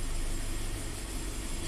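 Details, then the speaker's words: 2015 Scion FR-S (Subaru BRZ twin) 2.0 L direct-injected boxer, code P000A: lumpy, surging idle as bank 1 intake cam angle oscillates 10–30° against 23° target; faulty oil control solenoid suspected. "And you can hear it oscillating. So this change angle, it's going between like 10 and 30 now. We're trying to do 23."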